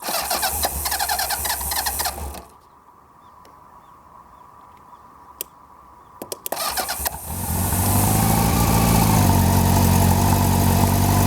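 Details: Honda CB750 motorcycle that would not start because the starter motor would not turn; starter tapped with a rubber mallet, then it cranks, catches and settles into a steady idle; suspected poor contact inside the starter motor.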